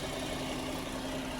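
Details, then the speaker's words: 2010 GMC Acadia 3.6 L, sat two years, just restarted after new timing chains, sprockets and VVT actuators (right bank intake cam had been out of time): quiet, even idle, faint hum, no ticking or rattle; sounds healthy. "Yeah, she sounds pretty good, I think."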